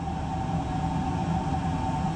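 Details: Oil-fired whole-house furnace after filter change and cleaning, boiler pressure rising to 30, pipes warming: steady, even roar with low hum and clear mid-pitched tone — normal oil burner running.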